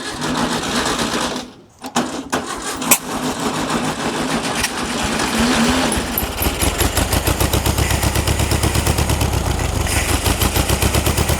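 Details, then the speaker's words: 1960s VW dune buggy air-cooled engine, sat over 10 years, fuel fed manually: coughs and stumbles into uneven beat near three a second, won't hold idle; idle adjustment possibly needed. "does not want to idle. Might have to do a little bit of an idle adjustment there."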